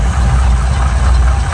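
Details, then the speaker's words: Old V8 Chevy pickup, around 1971, with points ignition, power steering and power brakes: steady, even idle rumble with no misses, knocks or surges; runs smooth, normal idle. "got the you knower jet on it with Point still power steering power brakes that really runs nice and smooth"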